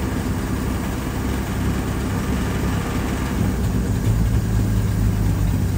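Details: Carbureted engine on the car "Mortia" idling with a low, even rumble after fuel pressure regulator work and turning down a too-high idle via the idle screw; float bowl now filling, carb still leaking at the bottom screw; normal idle.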